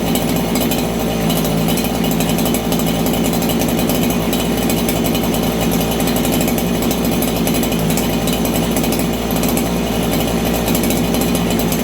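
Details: Farmertec 288 kitsaw, 90cc two-stroke chainsaw, low jet just tuned: screaming at constant high raspy pitch with no burble, high-speed jet running really lean.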